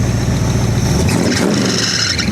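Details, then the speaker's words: Chevy V8 casket car, revived after sitting almost a year, revved with pull throttle: sharp high squeal over the engine, rising with revs; loose drive belt slipping, to be tightened. "Belt's loose. Yep. Let me tighten that up."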